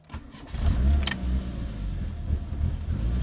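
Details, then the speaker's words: Engine on EMU ECU with 1000cc injectors and new base map, fuel pressure regulator set to three; uneven surging idle needing throttle tickling, will not hold idle, improves as fan comes on at temperature. Rough idle from rich mixture. "I've generally got to just gently tickle the throttle to keep it idling. However, with it being a three, the engine is quiet and smooth. However, it won't um it won't hold an idle for me."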